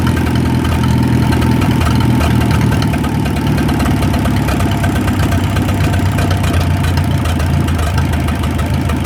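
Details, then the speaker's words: 1937 Willys flathead four-cylinder, run after 25+ years sitting in the woods: smooth, even idle, no knocking, only a faint light valve tick. "That thing runs like a brand new one. There ain't no knocking, you can just barely hear the valves ticking just a little bit."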